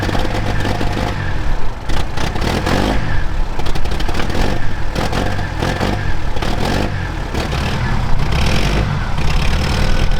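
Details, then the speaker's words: Mercedes OM615 diesel in barn-find Unimog 421, recorded outdoors in wind: heavy low rumble with irregular clattering bursts and uneven pulses; rough running, owner suspects injection pump timing way off, before fixing. "For those of you who haven't watched the previous videos on this thing, now you can also hear how bad it actually runs."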